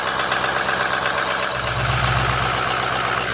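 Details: Ford Super Duty 6.0 diesel after oil cooler replacement: even diesel clatter at idle, about four beats a second, steady without extra knocks; no oil leaking, charging about fourteen volts, healthy-running engine.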